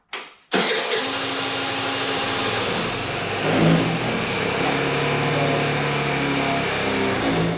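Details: Vespa LX50 scooter, baseline test run after new fuel and vacuum lines fixed a no-run (the petcock vacuum hose had failed), before a Malossi variator upgrade: the engine catches cleanly first try and settles into a steady, even run with smooth revs; healthy.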